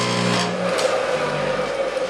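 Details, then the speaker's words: Table saw motor after machining a new pulley to replace one with oversize bore that wobbled on the shaft: steady even hum, slight buzz from the motor bracket vibrating, no wobble or rub; running true. "that's just a motor bracket vibrating nothing big"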